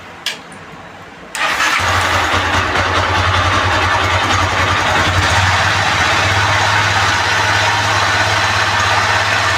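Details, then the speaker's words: 220 cc motorcycle whose noise kept worsening despite two or three oil changes; rusted bearings were suspected. The engine starts and idles with a constant dry gritty grinding rasp from a broken timing chain guide. "ஒரு மாதிரி அப்படியே அரைக்கிற மாதிரி சரசரன்னு sound வருது"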